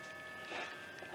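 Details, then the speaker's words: 2007 BMW 335i electric water pump running during the cooling system bleed, heat at max and blower on lowest: a faint steady electric hum with a thin whine and coolant flowing. Normal pump operation. "this is a 2007 335i sure covers several years with the electric water pump but you can kind of hear it running kind of hear the fluid flowing over there"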